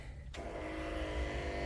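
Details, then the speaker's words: Hyster R80 forklift diesel at first startup after fitting a remanufactured injection pump, rebuilt injectors and rewiring: a click, then a steady, even electric fuel pump hum with no pulsing. The pump runs normally, with no smoke. "Yeah, you can hear the fuel pump running. There we go. No smoke."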